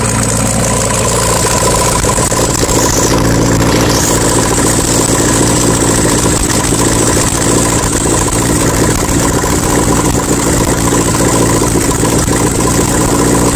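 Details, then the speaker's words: 1972 VW Super Beetle flat-four, Solex 30 PICT-3 carb, electric choke readjusted (it had been too tight), no exhaust fitted, after a cold start: it chatters at a raised, steady choke idle with an even beat and no misses. "car first starts up and uses the choke so that right there was a learning experience for me"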